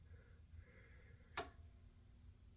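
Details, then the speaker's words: Vintage CRT monitor salvaged from an abandoned house, first power-up after being carried home: a quiet hum with one sharp crackling snap. The clicky arcing is likely high voltage and needs internal cleaning, though the cause is uncertain; the picture otherwise works. "it? make some clicks like see that like that's not very great. See like it does that clicky kind of arcy stuff. I don't really like that."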